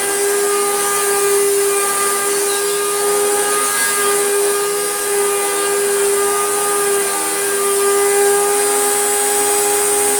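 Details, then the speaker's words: Panasonic MC-E465 bagged upright vacuum after refurbishment with new belts, stored in a damp shed for years, turned on with brush roll: harsh steady high whine over a hollow drone; motor sounds rough, owner suspects bearings, not confirmed. "that is awful in fact i'm even more angry at myself because the other boat is in the bin i did think oh we could have a look at that motor it's probably just the bearings"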